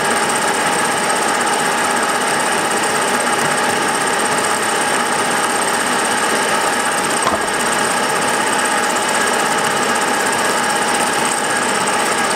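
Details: Milling a vee-block from dense old forklift-tine steel with carbide cutters, an angle cutter and coolant, taking 1 mm cuts: a steady shrill cutting noise with a fast, rough rattle throughout, louder as cuts deepen. Chatter from a cheap Chinese arbor's runout.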